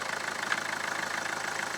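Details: Mahindra Verito diesel, engine idling in reverse gear: quick, steady clatter with no clunk or shudder; mounts sound fine.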